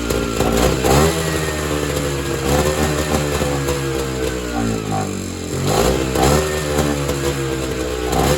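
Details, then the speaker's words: Evinrude Bobcat 25hp two-stroke snowmobile, sat 20+ years; revs surge and sag with ragged, stumbling pickup; fuel drains back to the tank, owner suspects the carburetor isn't doing its job. "It is draining back to fuel, but that also could be because the carburetor is not doing its job."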